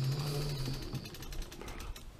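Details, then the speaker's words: Trikexplor F426E recumbent quad, dual 48V 500W mid motors, four-wheel drive on throttle: all-wheel-drive motor through small reduction gear and dog clutch gives a quiet smooth hum with light gear whirr, normal running. "so that's all wheel drive working this motor is now spinning"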